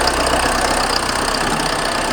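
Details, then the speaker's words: VW Passat B3 diesel after revival, with a large fuel dose: busy, clattery idle holding even without stumbles after revving; the owner suspects cranking flooded the pistons and it must burn off. "teraz zaczął robić równi po przegadówce"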